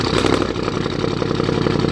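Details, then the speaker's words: 2013 Audi S7, 42,000 miles, salvage auction car at startup idle; loud raspy uneven burble with sharp unmuffled pulses through essentially straight exhaust, turbo gone bad and smoking. "So it does run. The exhaust is pretty much straight exhaust at this point. Very, very, very loud."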